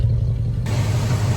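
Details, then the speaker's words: Second-gen Dodge Ram after new plugs, wires, distributor cap and old rotor refitted, which cured a no-start and stumble: steady even low rumble with no misses, stumbles or knocks; the engine runs smoothly. "Anyway, it's running. It's running pretty good, actually. Sounds good. Oh yeah."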